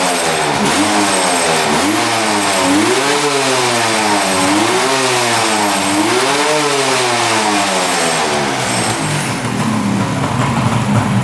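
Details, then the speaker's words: 1975 Suzuki GT750 two-stroke triple, sitting since 1986, revived: revs swing up and down smoothly several times and return cleanly to a steady 1,000 rpm idle each time; healthy response, no air leaks. "right back down to idle. No air leaks. I'd say she's good to go."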